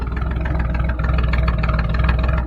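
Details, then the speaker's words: 1989 Jeep with 4.2 L after sitting three years, idling once fuel finally reached it, coolant not yet added: steady low idle with an even quick pulse and no knocks or stumbles; engine sounds healthy. "but she should sit here and idle on her own"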